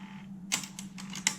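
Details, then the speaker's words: Alpine 5255 in-car cassette deck (1988, cassette-only, auto-reverse), bench-powered on 12 V with a tape in: two crisp clicks about 0.75 s apart over low hum, flipping direction without playing; pause, fast forward, rewind work; faulty main drive belt, replaced. "it's just the play that's not working I suspect that it would be a belt in here most of these cassette decks of this age suffer from belts so I'm imagining that's what it is"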